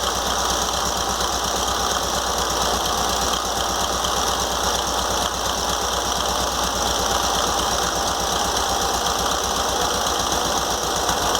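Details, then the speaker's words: VW Fusca (Beetle) air-cooled engine at idle after spacing the alternator fan from the fan shroud with washers, cleaning the shroud and carburettor: fast busy chatter with a steady whirring hiss remains, owner suspects a worn bearing. "agora eu tirei também limpei a capela por dentro limpei o treinador e montei de novo para tirar o barulho mas ainda tá um pouco de barulho ainda porque provavelmente é um rolamento"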